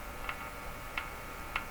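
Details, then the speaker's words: Crosley G2465 two-band radio during checkout: three sharp clicks over quiet speaker hiss as the chassis is touched, a sudden charge shift balancing static between chassis and person; static discharge click. "the click part is a balancing of the charge between the chassis and me there's a sudden charge shift and that's the click"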